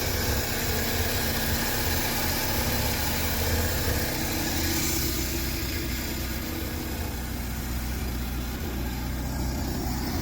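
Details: Triumph Spitfire just started cold for first time in 25 years, on choke, after timing correction, carburetor rebuild and new electric fuel pump: steady low idle with even, slightly loping pulse, no knocks or misses, settling normally.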